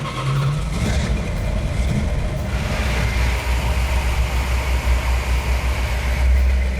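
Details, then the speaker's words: 1970 Plymouth Cuda 340 automatic, rebuilt engine with 65 psi oil pressure at idle: deep, even V8 rumble with smooth steady beat, no misses, knocks or ticks; running healthy. "It runs like a dream. It doesn't miss. It doesn't hiccup. There's no noise in it."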